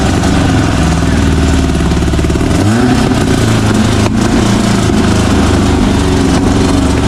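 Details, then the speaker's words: VW flat-four, naturally aspirated, about 130 hp, roughly 12:1 compression, timing about 28°, in a Baja buggy: loud, crisp note climbing and holding revs smoothly with no misses or knocks; healthy free revving. "what's that sound like that sounds like 130 horse baby VW power naturally aspirated"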